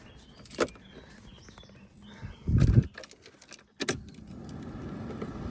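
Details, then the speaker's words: Mercedes 190E (W201) started after about a year covered in storage: a few thuds and clatter, then a steady low whoosh rising and holding evenly; heater blower and pump working normally. "Hey, the blower is working. I can hear the pump working, which is good news."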